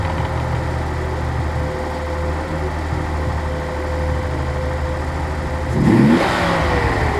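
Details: 1983 Nissan 280ZX Turbo, cold engine: slightly rough idle, then a quick throttle blip brings a spitting, sneezing burst. Cause unconfirmed; owner suspects fuel injector, fuel pump or damper, throttle switch or airflow meter.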